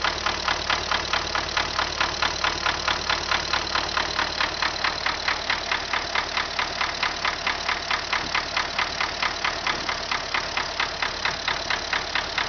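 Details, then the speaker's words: MTZ tractor diesel just started, at idle; a sharp, regular knock at about twice a second is heard, a mechanical knock in the engine whose cause is not yet pinned down. "Запустили двигатель. И слышим стук."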